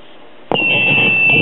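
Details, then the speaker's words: Circa 1958 Zenith Cobra-matic record player radio, 12BE6 mixer tube on a socket extender while checking low voltages (88 V vs 104 V): click, then steady high whistle; set oscillates with the extender fitted. "as you can hear the radio doesn't like that socket extender there"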